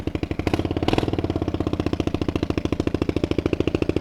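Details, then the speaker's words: $100 small automatic motorcycle restored for a beginner rider, with about $200 in parts: quick catch, then a rapid, even putter about three and a half beats a second, a bit loud but steady; normal idle. "runs extremely well it's a little loud but it's not bad"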